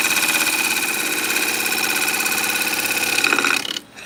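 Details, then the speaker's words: Wood turning on a lathe: a rough chatter of about three beats a second under the cutting hiss, a thump-thump-thump as the tool bounces on knots (two of them) and irregular grain in the workpiece. "What's going on is I've got knot here, and then this craziness here is causing me to bounce. So you hear that kind of thump, thump, thump sort of noise."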